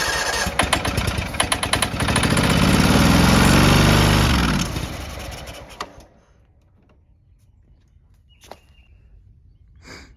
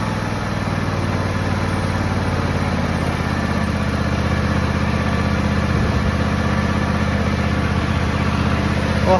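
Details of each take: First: John Deere X304 lawn mower, sat probably two years, full throttle and choke, ether sprayed: fires and runs rough while sprayed, swells, then fades and dies; no fuel reaching engine; fuel starvation. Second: John Deere X304 lawn tractor, sat probably about two years, carb never cleaned: the engine is hot and idling steadily and smoothly with no surging or hunting after being revived. Normal warm idle.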